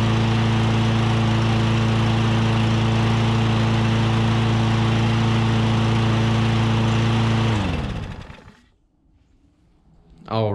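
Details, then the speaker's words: Troy-Bilt lawnmower with Briggs & Stratton 500 series OHV engine, after valve adjustment for a no-start: fires right up and runs smooth and even at steady speed, no valve chatter, then shuts down; healthy. "well it fired right up and i am excited about that it sounds good"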